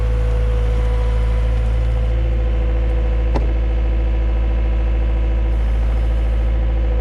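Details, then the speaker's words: Yamaha XL700 waverunner two-stroke after engine reinstall: steady even low drone with consistent beat, no knocks or stumbles; running fine, fault had been just a hose. "all right well this thing seems like it's running fine now so uh wish i diagnosed it better instead of doing all that work on the engine"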